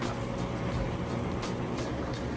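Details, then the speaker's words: Kenmore HE washer on heavy duty, settings near max, first spin at end of wash cycle: even whooshing drum hum with drain pump running steadily as it extracts soapy water before rinse fill; normal spin with drain, furnace noise in background. "There's a first spin. You can hear the drain running there as it spins and extracts"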